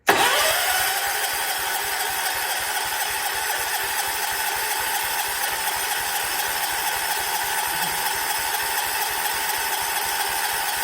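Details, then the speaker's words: 1979 John Deere 214 tractor, sat for months: even steady cranking about three and a half turns a second, never fires; the fuel pump must move fuel from the tank to the carb, and spark was later confirmed present, so fuel isn't reaching the carburettor. "I feel like it should have started by now so we have us a triigger problem"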